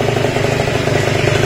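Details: Yamaha Jog RR two-stroke scooter after rebuild: even, buzzy beat holding steady idle with no knocks, rattles or misses; the earlier odd noise is gone, engine runs healthy.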